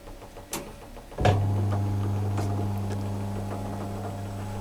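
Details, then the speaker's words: Hotpoint Empress vintage single-tub washer, previously not starting, now working after continuity checks (owner suspects the socket): a click, then the motor picks up into a steady even low hum driving the square agitator shaft, no knocking or grinding; normal. "don't know if you can see here Square shaft on top there is agitating"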